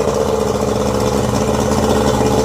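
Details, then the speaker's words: Yamaha 90 hp outboard, first run after rebuild for piston knock (three scored pistons; new pistons, rings, gaskets, rebuilt carbs, water pump): steady, smooth idle with no misses, knocks or hunting, idle being adjusted, slightly low. "It was running well."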